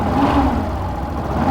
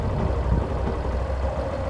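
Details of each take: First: 2017 Yamaha Fazer 150, revving: a steady humming whine over the exhaust that resembles a bad bearing or clutch noise but comes from a burnt coil in the stator. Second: 2017 Yamaha Fazer 150 idling with a low, even thrum once the stator connector is unplugged; the whine like a failed bearing or clutch, rising with throttle, was caused by a burnt stator coil and returns when reconnected.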